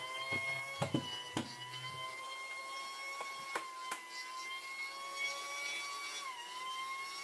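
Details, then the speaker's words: Battery-powered pool pump with an intermittent fault, switched on after the inlet was cleaned and lubricated: faint steady high motor whine with a few dull knocks from handling, pitch dipping briefly near the end; owner suspects a connection issue. "Oh, wait there. So it seems to be a connection issue, doesn't it?"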